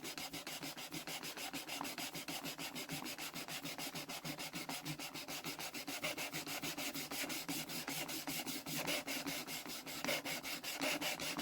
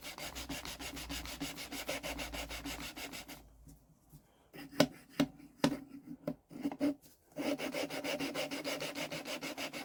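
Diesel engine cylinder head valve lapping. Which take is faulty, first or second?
first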